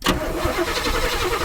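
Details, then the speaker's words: 1976 Chevy C30 dually former roofing truck, V8, sat under an oak tree for decades: starter churns the engine over steadily with gas pumped and ignition on, no catch or firing; cranks but won't start, needs starting fluid. "We need starting fluid."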